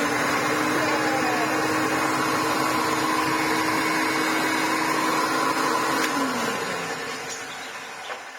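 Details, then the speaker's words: Maytag U5288 bagless upright vacuum (Hoover Turbolite), after full restoration; motor not fully disassembled because the fan-case bearing is riveted in. Smooth, steady hum at constant pitch, no grinding or rattle, clean spin-down; motor and bearings run well. "Well, that runs really well."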